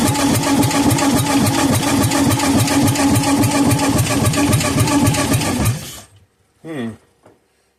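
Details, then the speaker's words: Kohler K241 10 hp engine that sat for years, two-cycle fuel put in the cylinder and carburetor refilled: even starter chugging about three and a half beats a second with no firing, because the spark plug wire was left disconnected. "oh silly me I forgot to hook the uh plug wire back up"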